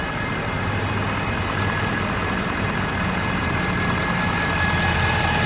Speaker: is a Ford F350 diesel 2013, making this really whiny ass noise. Only does it when the engine's warm.